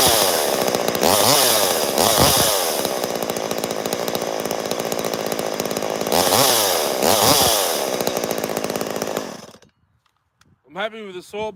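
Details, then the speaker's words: Chainsaw on cold start, no choke, revving up and down hard: dry, rattly roughness under the engine note from crankshaft bearing noise; owner says it needs a new set of bearings. "got to go back in there you can probably hear the bearing noise she needs a new set of bearings while I'm in there"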